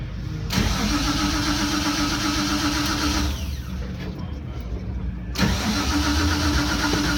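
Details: 1976 Datsun 280Z 24 Hours of Lemons racer, in the pit with water temp around 200, leaking at front: fires twice, idles roughly with a steady knock about four per second over the clatter; rod knock.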